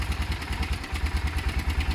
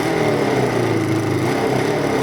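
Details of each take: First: Motorcycle project idling after work: even, deep single-cylinder thump at a steady pace, no misfires or rattles. Left to idle a few minutes; owner says it sounds great. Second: Carbureted V-twin motorcycle after a modified air setup: steady idle with a slightly uneven, loping beat. Owner says it is a bit lumpy, and the carbs would need rebalancing if he keeps the air setup.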